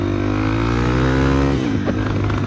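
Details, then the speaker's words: Yamaha TTR230, uncorked and rejetted, in first gear while being tuned: steady engine note suddenly sags and stutters as if starved of fuel; cause was an air leak at the fuel hose. "It was running good. I was tuning it a little, and then like it just wouldn't run good. It felt like it was getting no gas, and I had no idea what was going on."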